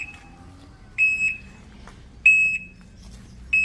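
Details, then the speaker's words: HJ Moto electric bike D2 unit at delivery, being test-driven in reverse with a rear camera: a loud, high-pitched double beep repeats about every 1.3 s, the normal reverse warning beeper, loud by design. "Okay. So medyo maingay talaga yung atras niya. Ganun lang talaga ang atras yan."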